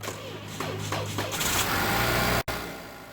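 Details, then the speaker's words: 2013 Chevy Malibu with a weak crank and service Stabilitrak and power steering messages: labored, slow, uneven cranking as the starter struggles. Testing shows the battery has zero cold cranking amps and needs replacing; the alternator tests good. "you can hear how the starter struggles to turn the engine over"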